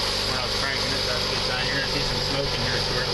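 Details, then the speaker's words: 1.9 engine rebuilt after a dropped valve seat, with timing belt and valve train, first start: steady smooth idle with even firing and no lifter tapping, lifters pumped up during cranking. "that sounds pretty good guys I don't hear any tapping so the LIF was pumped right up"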